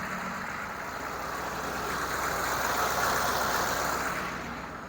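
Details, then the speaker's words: CUCV 6.2/6.5 diesel in an M715 after running out of fuel and bleeding the injection pump, with low batteries making the belts squeal; idle swells and sags, missing and hunting. Rough idle from air still in the fuel lines. "start it up and my you'll see it's not Rhino right it's missing and hunting and it's just not happy"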